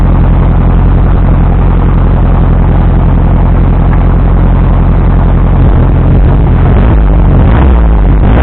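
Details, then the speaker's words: 1973 VW Thing restoration first start; low heavy idle with uneven beat stumbling toward the end; ignition timing only roughly right and air-fuel mixture and choke untuned, timing later corrected. "Timing was sort of right. Since then, we went ahead and timed it correctly once we got it running. Air fuel mixture and choke and whatnot were not really where they needed to be, but it got it running."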